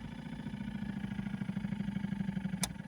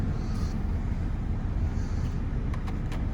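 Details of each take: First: Opel Combo heater blower motor, removed: low droning hum with a slow uneven pulse, turns poorly but no squeal, then stops; motor binding and seizing. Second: Opel Combo heater blower after motor replacement, engine still warm, checking windscreen airflow: first speed weak, steady even rumble and airflow on third speed with no rattle or squeal; heater blower working normally.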